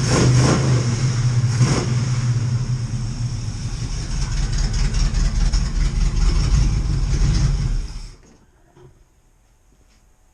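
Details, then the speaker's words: Oldsmobile Cutlass engine just refitted with a rebuilt Edelbrock carburetor, not yet adjusted; revving sounds uneven and lumpy, then shuts off: rough running, carb needs tuning. "carbs on and she's running so [Music] it's not running that great but i mean it's running"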